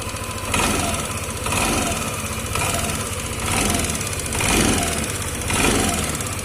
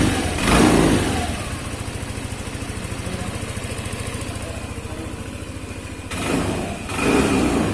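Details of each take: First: Yamaha Lexi 125 scooter at idle: light, busy sewing-machine-like ticking over a gently pulsing idle; source of tick not pinned. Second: Yamaha Lexi 125 scooter after a fix for a sewing-machine-like ticking noise. It idles and revs in clean, even blips with no ticking left over the exhaust: the engine sounds healthy.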